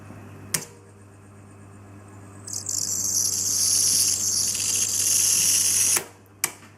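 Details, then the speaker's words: Grundig TK7 tube reel-to-reel during reverse: sharp clicks, then a high, hissy squeal lasting a few seconds as the rubber drive belt slips; reversing is not smooth. "that's definitely a rubber belt slipping right there that's interesting"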